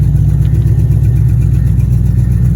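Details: Impala SS LT1 350 V8 after vacuum leaks were fixed; RPM drops when the wheel is turned. A heavy idle rumble carries a faint, regular puffing hit. Ticking at idle, owner suspects a remaining exhaust leak.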